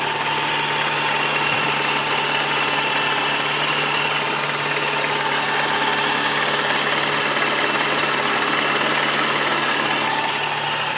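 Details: 2003 Mini Cooper S petrol engine idling with light, fairly regular tapping, about three taps a second, over a busy whirr: engine tapping/knocking noise.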